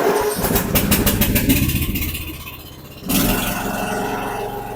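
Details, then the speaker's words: Snapper 150Z zero-turn mower, 21 hp with a 42-inch cut, after fuel line and fuel pump work: it cranks for several seconds, then starts without carb cleaner and runs steadily. It works like new. "well there you go it's working like new again"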